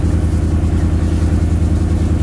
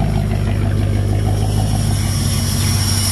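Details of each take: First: '38 Chevy during maintenance, running with oil pressure showing: low throbbing lumpy beat as a cylinder drops out intermittently; misfire, suspected fouled spark plug expected to clear. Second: 1938 Chevrolet six after maintenance, possibly fouled plug suspected: steady, even idle with smooth low hum, no knocks or misses; running healthy.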